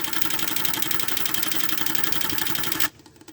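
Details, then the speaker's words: 1996 Camaro fuel pump with Flow Nitrous fuel pressure safety switch after regulator adjustment: steady high buzzing hum with fast even pulsing, no surging or throttling, then shutting off; running smooth at 40. "There we go. Nice and smooth. Right at 40."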